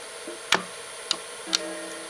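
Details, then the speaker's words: Sega Dreamcast loading a disc: three sharp ticks from the drive, then a faint steady hum as it spins up, the normal laser whirring, with the constantly running fan noisy. "But one of the most famous noises it makes is when you put the disc in and play that. Can I do this in a fursuit hand? There we go. The laser inside makes all kinds of whirring noises."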